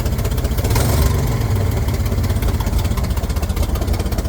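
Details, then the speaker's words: 1967 Chevrolet Corvair Monza 110 with dual carburetors, hard starting and slow to accelerate: uneven, lumpy idle as if only one carburetor is working, because one carb's linkage rod had slid off; rough idle. "I wonder how long she drove this dude around with one carburetor hitting."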